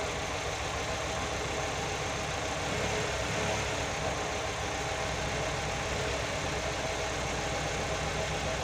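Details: Nissan GA16DE petrol engine first start after repair: quiet even idle, steady rhythm, no knocks or misses; normal idle.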